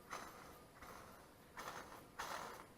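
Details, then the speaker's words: Engine front, timing belt job: loose tensioner pulley turned by hand gives dry gritty rasping bursts; bearing has wiggle and squeaks, worn tensioner pulley bearing. "that's loose bearing in their arrows my squeaky squeak she's got wiggle"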